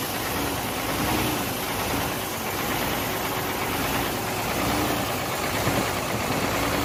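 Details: Hino J08C truck diesel at idle after overheating from a leaking water pump: rough, uneven idle with irregular knocking about once a second under harsh clatter; noise traced to cylinders 1 and 2, with back compression; piston seizure suspected.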